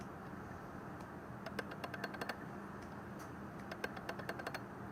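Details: Tamron 24-70 G2 lens in video mode on a Canon 6D/6D Mark II: sharp, irregular clicks as the aperture changes from f/3.2 to f/2.8, the same on two copies of the lens; cause not identified.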